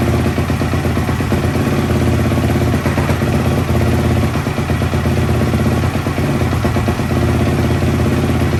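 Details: 2004 Yamaha YFZ450 ATV single-cylinder after rebuild with new exhaust, exhaust just tightened: strong even four-stroke thump with loud exhaust bark, idling and revving cleanly with no knocks; oil leak appeared afterward because the sprocket was left off.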